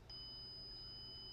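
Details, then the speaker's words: Honeywell Lyric security panel in audible panic mode with burglary alarm sounder set to no: a faint, steady high-pitched limited siren instead of the loud, piercing full alarm siren. "However, when you put it into a full alarm mode, you don't hear the loud, piercing siren. You hear a more limited siren."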